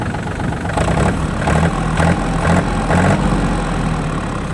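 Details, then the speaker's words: Yanmar F235 mini tractor, three-cylinder diesel: starts easily with an even, low chug at idle, no knocks or extra noises, and revs rise and fall smoothly; healthy running. "Никаких лишних звуков. Обороты набирает ровно. Опускает обороты тоже ровно."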